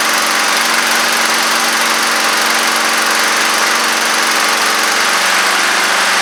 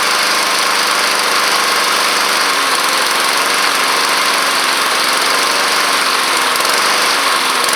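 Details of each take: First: Honda Harmony II push mower, after tightening leaking carburetor bowl (10 mm): steady even buzz at constant speed, no misses, surging or knocks; running smoothly. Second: Neglected Honda Harmony II push mower (HRS216/HRR216) with a replaced air filter. Loud single-cylinder chatter hunts and oscillates, surging up and down when the throttle is set too low.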